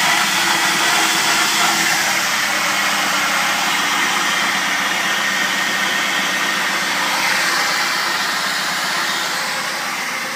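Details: Zafira running: steady, hissy high-pitched whine over the engine, cause unknown.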